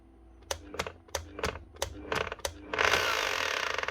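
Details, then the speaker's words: Bosch GBH 8-45 D rotary hammer (2022), tested at reduced speed: the motor whirs up freely with a light clicking and no hammering blows or resistance. A broken eccentric gear is suspected. "Hear that wee clicking noise? That motor's actually spinning completely free. It's not meeting any resistance, it's not hammering or rotating or doing anything. The motor's just spinning."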